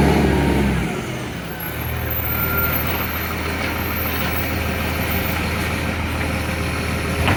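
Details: Recycling truck, heavy diesel: rough uneven chuffing about three to four puffs a second over the engine; exhaust leak.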